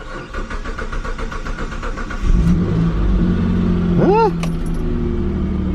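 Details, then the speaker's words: 2003 Mitsubishi Eclipse GTS 3.0L V6, five-speed manual, 202,000 miles, after fuel pump and fuel filter replacement; cold start: two seconds of even cranking, catches at once into smooth idle, quickest cold start ever, owner thinks issue fixed. "bad that might have actually fixed my issue holy crap it's never started that quick from cold"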